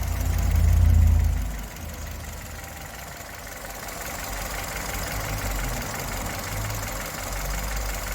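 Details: 2011 Chevrolet Spark, fault code 82, shakes at idle and stalls silently at stops and low speed. A short loud flare, then an uneven low idle surging and sagging about four times a second; rough idle traced to fuel and intake system problems.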